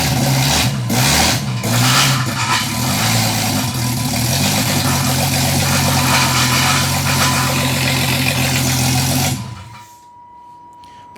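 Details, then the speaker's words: Engine being tuned holds a fast, elevated idle with a steady low drone before shutting off; throttle body set too far open and running very rich, so fuel and idle values are being reduced. "so the throttle Bo is too much sure uh it's very rich as well so we can definitely take fuel out"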